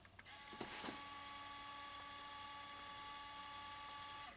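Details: Saab 9-3 CD player after reinstalling the drive with a replacement ribbon cable: soft steady whir with clean even tones, no clicking; CD mechanism functioning normally.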